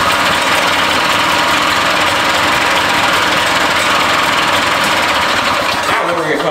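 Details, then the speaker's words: Barn-find Harley Davidson golf cart engine, carb adjustments set by guesswork: rough, uneven chatter about three or four pulses a second, never running clean; hard starting, owner suspects too much fuel and adjustments out. "I got too much fuel in it four of my adjustments are out because I totally took stab at my adjustments"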